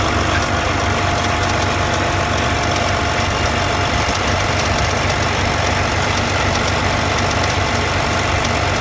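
Engine idles steadily with a faint, loosely regular ticking over the hum, about two or three a second; something's off, cause unclear.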